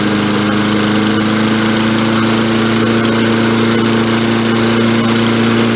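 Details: 1965 Briggs & Stratton 82906 3 hp wind-up-start engine, sat for years, first run with only fresh gas and oil, main jet possibly clogged: steady even single-cylinder drone at constant speed, no misses or knocks; runs smoothly.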